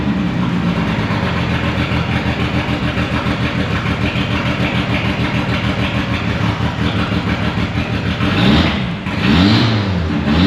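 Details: 1997 Mitsubishi Eclipse GST turbo four-cylinder after an AWD swap, timing belt replacement and a new fuel pump, restarted after long disassembly: steady, even idle with no knocks or ticks, then a couple of quick throttle blips; runs healthy.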